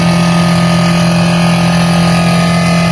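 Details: Brastemp BRE57AB inverter frost-free duplex 443 L refrigerator: a loud, steady low buzzing drone as the evaporator fan blade scrapes built-up ice. The fan was close to jamming and burning out.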